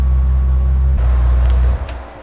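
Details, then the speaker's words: Bentley Continental GT W12 that had misfires and engine control units not communicating, now repaired: deep even rumble with no skips before shutoff, running smoothly on all 12 cylinders with no check-engine light. "Wie ihr sehen könnt, Fehler behoben. Er läuft wieder schön rund auf allen 12 Zylindern."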